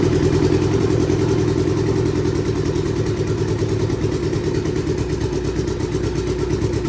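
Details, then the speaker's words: Turbo Hayabusa engine build, first start: lumpy, uneven idle with a limping beat and clatter. One dead cylinder misfiring at idle, fuel pressure just above 3 bar. "Sounds like we've got a dead block. Let's just check that fuel pressure, just above 3 bar."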